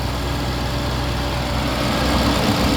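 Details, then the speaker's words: Under-hood sound of a running 2023 Audi RS7 at a pre-purchase inspection, in performance mode with all fans working: smooth, even idle with a steady low rumble and fan whoosh, no knocks or ticks; engine sounds good. "Engine sounds good."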